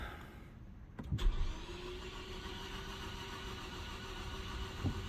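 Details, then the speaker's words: 2014 Ford Focus Titanium 2.0, jump-started: a short burst of cranking, then a steady low hum with no firing; cranks but won't start, owner suspects a broken timing belt, compression test planned. "okay you hear that sounds like a broken timing belt let's try it again"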